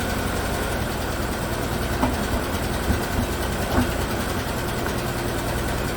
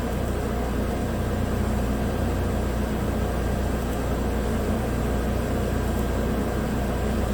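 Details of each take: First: 2017 Chevrolet Equinox 2.4 AWD, used replacement engine (130,000 km) on first start after swap: uneven idle with a stumble about every second, check engine light flashing, code P0300, misfire; later smoothed out, possibly dirt in a valve. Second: 2017 Chevrolet Equinox 2.4 AWD with used replacement engine (130,000 km) after the original failed from a frozen, plugged PCV system that blew the rear main seal; a brief P0300 misfire on cylinders 3/4 cleared, now idling smoothly, running clean, no warning lights, codes cleared.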